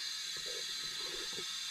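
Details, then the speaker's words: '51 burnout car after its engine shut down in a burnout, leak-down test at 80 psi in holding about 55: steady high-pitched hiss of escaping air with faint thumps; cylinder leakage, source uncertain, checked at exhaust and intake. "i don't know where it's come from i can hear it come on your exhaust and maybe go check that help put your ear up to it that'd be coming out right there"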